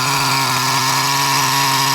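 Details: Traxxas T-Maxx 3.3 nitro engine with an OS carb, new glow plug, and aluminum flywheel and clutch bell during tuning. A high, buzzing note holds steady revs, clean with no sputter: normal running.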